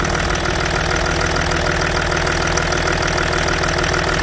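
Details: Range Rover Sport L320 3.0 V6 twin-turbo diesel with faults P1247 and P006A and intermittent restricted performance, after replacement of a burst inlet manifold; cold, just after reassembly: steady, even idle with no puffing, hissing or blowing, healthy and leak-free.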